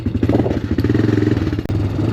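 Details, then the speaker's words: Honda Recon ATV revived after years sitting, cheap aftermarket carburetor: rapid even single-cylinder thumping that briefly stumbles and drops out under load while idling fine; owner suspects carburetor, engine bogging. "Well, that's not a good side. Something happened there. She's idling, but under load she's not happy."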